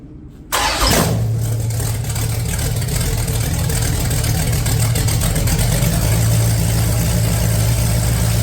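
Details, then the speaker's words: 1969 Plymouth Road Runner engine swap (date-coded 1969 383 HP Super Commando big-block going in), first start in 10 years after priming oil pump to get oil pressure: short crank, instant catch, deep steady even idle, no knocks or misses; normal. "yeah yeah fired right up I kind want to do it again without earplugs oh man it's going to be loud"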